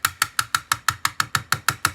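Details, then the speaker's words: 2017 Toyota Prius (4th gen, 2016–2022), dash top: the rattle happens driving over the road or idling at a stop. Pressing the antenna assembly gives quick, even plastic clicks, about six a second, from a loose antenna cover. "this is the exact location of said rattle and when I do this you guys who have this issue are going to hear exactly what I mean"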